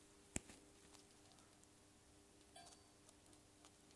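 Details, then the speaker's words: Defective 70-watt sodium-vapour (NAV) lamp with yellow light: a faint steady hum with sparse, irregular ticks and cracks; the owner believes the cracking is its parts expanding as it heats, and normal. "ich glaube dass wohl und knackst eben also doch bewerben sich ausdehnt ich glaube das ist normales das ist gewollt"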